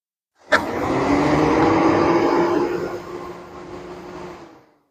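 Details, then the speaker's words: 2017 Toyota Fielder Hybrid, replacement cooling fan activated through the scan tool to verify the fix. Steady smooth whoosh easing slightly as it settles, no rubbing or rattle; clearly different from the previous fan, and the new fan works properly. "And there you have it. You hear the fan running. Let's go off. So you heard the difference in the fan from the previous one that was on and the one that we got on now. All right. So that fan is working."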